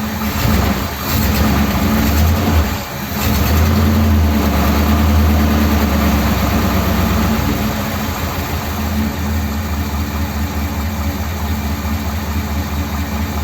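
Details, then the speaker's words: 1957 Ford Thunderbird V8 after the original parts were reinstated and the accelerator pump was primed: it cranks, catches and settles into a steady, even idle with a smooth rumble. The fuel level seems about right and it runs okay. "that's actually running okay isn't it"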